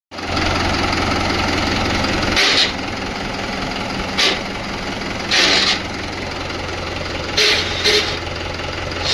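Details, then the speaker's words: 575 tractor at diesel idle: six short harsh gear-grinding rasps as a gear is forced in even with the clutch pressed, clutch not disengaging; clutch plate to be dismantled. "आता अ clutch दाबलाल तरी gear टाकायला अडचण येत आहे. Gear पडत नाही खरखर आवाज येतो"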